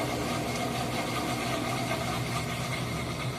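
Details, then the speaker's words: Whirlpool WTW4816FW3 top-load washer (bought July 2023, control board replaced three times) on rinse and spin: loud, steady rough grinding roar, not adding water; drain pump later replaced and it seemed to work. "It's making that loud grinding noise. I don't know what that noise is supposed to be about."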